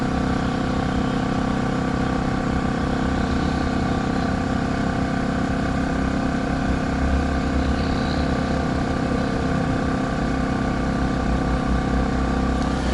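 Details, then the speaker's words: Champion 3400 W dual-fuel inverter RV generator at high under-load rpm, not economy mode, heard from a distance with exhaust pointed away; even, steady drone and constant hum, no surging or knocking, quiet. Normal running. "you can see it's not very loud at all and this is the best part on economy mode it gets even quieter"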